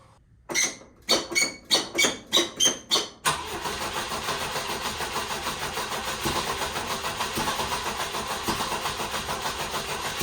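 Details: 1967 Volvo 122 Amazon that sat 35 years, on its old exhaust before a 2-inch sport exhaust is fitted: about seven cranks, then it catches and idles with a loud, raspy, puffing note from a leaking manifold flange.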